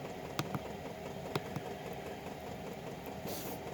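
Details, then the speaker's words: Chinese 5 kW diesel heater with LCD controller, glow plug off and fuel pump on low. A soft steady fan rush with light pump ticks about once a second: normal operation. "and as you can hear the pump is just a cooking"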